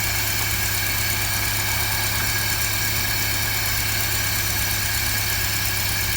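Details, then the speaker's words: 1955 Land Rover Series One, rebuilt 66-year-old engine after fuel pump work, carb with temporary air ducting: steady, even idle, smooth low thrum with some carb hiss, no knocks or misses. Normal idle. "so yeah she runs and for a 66 year old engine she's running very smooth"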